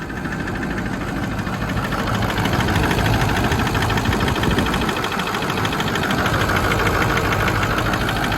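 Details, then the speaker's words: Ford 6.0 Powerstroke diesel, ZF6 manual, likely ex-fleet, 155,000 miles: steady idle diesel clatter with a slightly uneven beat every few strokes; small injector misfire, no blow-by. "It does have a small injector misfire, which is why we're getting it so cheap."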